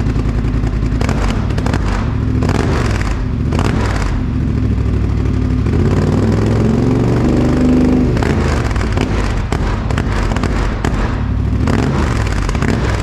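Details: 2021 Polaris Sportsman 850 Highlifter ATV, first start after the straight-pipe exhaust install: deep, raspy exhaust with a choppy idle pulse from the loud open pipe, a throaty aftermarket tone. The engine runs fine; normal idle.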